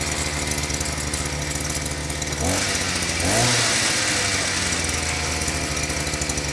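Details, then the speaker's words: Harbor Freight Predator auger after fuel lines and carburetor replaced, fuel/air screw and idle screw adjusted: steady buzzing idle, quick throttle blip, settles back evenly; running normally again. "seems like it's back to its old self"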